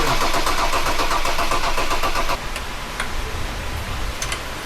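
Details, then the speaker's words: Ford Raptor after replacing the faulty cylinder 3 injector, which had caused misfiring: it cranks and catches cleanly, then settles into a steady, even idle with no misfire or stumble; running properly. "Eh okay na guys. Bale isang injector lang yung naging problema nito."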